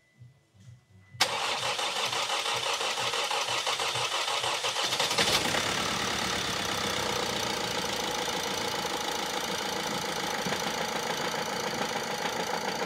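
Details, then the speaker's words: Vauxhall Insignia 1.6 CDTi diesel after timing chain replacement, microphone on bonnet prop, first start: cranks, catches, settles into lumpy uneven clatter; smooths when warm but still has a cracked, partly melted piston. "as soon as it gets up to temperature of that car now is running nice and smooth but it still doesn't fix that crack in that piston"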